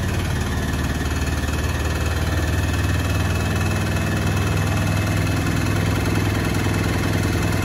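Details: Beko washing machine on its final spin: heavy, steady low rumble with a shaking throb through the spin; the drum is running unbalanced and noisy.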